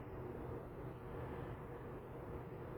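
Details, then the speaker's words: 1998 Volvo diesel truck after a custom homemade turbo exhaust elbow replaced a leaking pipe (owner first suspected the manifold): soft, steady drone with no ticking or puffing. Normal running, no exhaust leak. "Well, not bad for a homemade pipe. Let me get a look at this thing here. Yeah, that was the exhaust tip. The top of the muffler. I had to use that little bend of that thing. That turnout, that worked out perfect. That's good now. I guess I ain't gonna be hearing that noise anymore."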